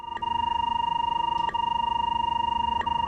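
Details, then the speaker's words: SeekTech SR-60 line locator tracing a line with a sharp tracing line: a steady clean tone near 1 kHz with a fast even pulse and no static, meaning a clean, undistorted signal. "the audio clarity reflects signal distortion detected by the tracing line when the tracing line appears sharp the audio will sound clear"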